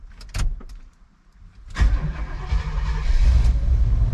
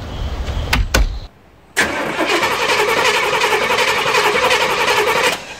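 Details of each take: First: 1994 Chevy 3500 HD tow truck, big block, long parked: a brief quiet spell, then the engine catches cleanly and settles into a strong, steady low rumble; normal start. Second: 1994 Chevy 3500 HD tow truck, big block with TBI, long parked, on a fresh battery: a couple of clicks, then several seconds of strong, even cranking that never catches; cranks but no start, no fuel delivery suspected.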